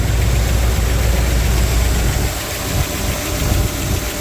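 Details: Squarebody V8 at idle: deep uneven idle with a faint irregular tapping that comes and goes; owner suspects the driver's side top end, cause unconfirmed.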